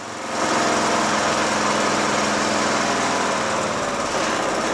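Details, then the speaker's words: John Deere L100 lawn tractor single-cylinder engine at low throttle after carburetor clean and blowing out the fuel mixture screw: steady, even idle with no hunting, surging fixed; normal idle. "idle doesn't surge anymore runs great and i connected the magneto wire and it shuts off awesome awesome"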